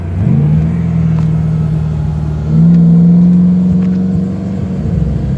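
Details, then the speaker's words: Mustang engine pulling under load while driving, uneven stumbling note, audibly missing on some cylinders; engine misfire. "sucks well even there so you can hear it missing misfiring cylinders"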